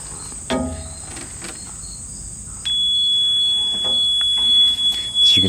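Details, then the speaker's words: Electric conversion mini truck, 12-volt system powered from jumper pack: dull thump then thin steady high-pitched chirp whenever 12 V power is on; unidentified warning alarm, source not yet found. "can hear there's a bit of an alarm that sounds when 12-volt power is in the system haven't narrowed down where that's coming from but hopefully we'll be able to because it's rather annoying"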